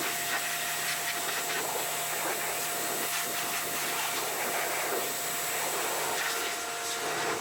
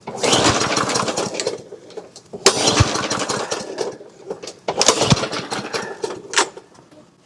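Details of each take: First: Toro GTS 140cc mower that would not start after sitting over the winter, now after a carburetor clean-out: it starts and holds a steady, even buzzing run with no stumbles or surging. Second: Toro GTS 140cc mower, sat over winter: repeated pull-start bursts, each a short rough chuff that dies at once, never catching; good compression but won't start, cause not yet confirmed.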